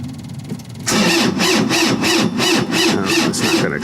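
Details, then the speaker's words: Preheated engine cranked at minus 25°C in extreme cold: starter grinds over slowly, about three labored strokes a second, never catching; owner suspects the cold and possibly gelled fuel; slow crank, no start. "enough well too cold I guess that's not so super too good uhoh now that POS possibly could be fuel gelled up as well so yeah no that's not going to go today unfortunately"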